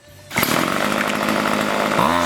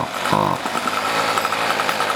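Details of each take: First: Two-stroke string trimmer after spark arrestor screen cleaning and carburetor tuning, high screw set slightly lean to avoid bogging: sharp buzz climbs to a steady high rev, holds clean without bogging, then eases back, running properly. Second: Cheap light home two-stroke weed eater, choked and warmed up: blips then sags into a muffled, struggling drone instead of revving out; bogs despite high and low idle adjustment, blamed on a clogged muffler spark arrestor screen.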